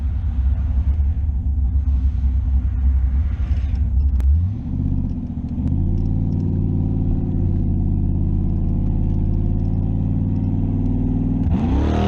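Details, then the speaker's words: Camaro V8 after swapping stock cam for Elgin 1840P cam (228/230, .585 lift, 112 LSA), which fixed the torque converter acting up: deep choppy rumble settling into a strong steady lope, revving cleanly toward 7,000 rpm; healthy. "apparently that's exactly what was going on because it's doing exactly what it should now god this thing sounds good dude nice"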